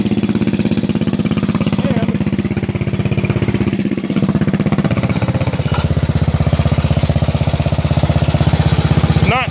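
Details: Bolens single-cylinder lawn tractor, sat about 1.5 years, running with the muffler removed: loud, sharp popping about four beats a second with nothing to soften it, an open-pipe exhaust.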